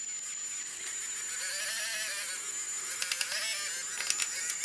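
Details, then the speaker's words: 3D printer pen feeding green filament: smooth, steady high-pitched motor whir with a few light clicks, taking the filament in with no problem. Green filament comes out the end. "No, this one's this one's taking it in. No problem. Can hear the motor is really happy."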